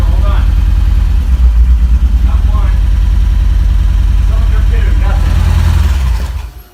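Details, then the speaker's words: Freshly self-built Nissan KA24DE, naturally aspirated, in an S13, restarted: loud lumpy idle with an uneven stumbling pulse of about three beats a second before shutdown; misfire, sounding like it's running on three cylinders. "Alright, we're gonna get her started again, hopefully. Ready? That's a misfire."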